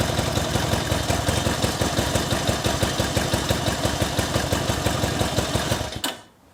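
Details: 1964 Honda CA95 Benly 150 twin at its first start after 30 years stored, with a new throttle cable and a flushed tank: an even, regular popping idle with no stumbles or rattles, then a clean shutoff. Normal, healthy idle.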